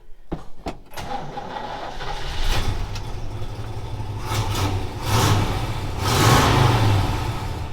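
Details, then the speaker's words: 1964 Chevelle after exhaust repair: quick crank and firm start, then a deep steady rumble through a few throttle blips, clean and quiet, no leaks, rattles or broken-pipe noise; normal start and rev. "Oh. Not bad to listen to. No more noise. No more nasty broken exhaust pipe sound. She doesn't sound very mean, but clean and quiet."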